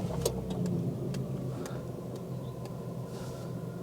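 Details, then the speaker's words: Former Cat N used car, freshly started: slightly uneven, lumpy idle though it drives fine; rough idle, cause unconfirmed, spark plugs to be changed first. "lumpy little bit yeah it is drives fine as to say just a little bit lumpy so I think the first thing I will do is um change the spark plugs"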